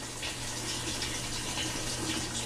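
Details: Kenmore (Whirlpool) top-load washer model 110.20022013 in manual test mode: steady rushing hiss of water with low hum; cold water inlet valve opens and fills normally.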